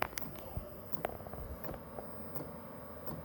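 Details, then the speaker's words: Chinese diesel heater fuel pump metering diesel normally: faint, evenly spaced light ticks about two a second over a quiet hum while the heater runs and heats up. "that is the fuel pump if you can hear that little ticking like i said it just goes with your fluid with your gas your diesel"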